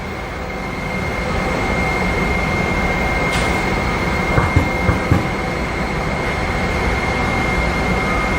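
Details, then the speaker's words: HIP T-Series high-pressure pump on a test bench after an air cycle, motor holding operating pressure before stepping through three set points: steady even hiss with a constant thin high tone, no knocking or surging; normal running under pressure. "At this point, the system's pressurized, and we're really just going to maintain that pressure. We're going to set through three different set points."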